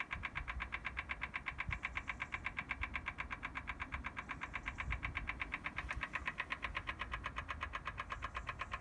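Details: BMW M4 Competition Pack, cold, ignition off: steady sharp clicking close to three per second that starts intermittently as soon as a door or the boot is opened; source unknown.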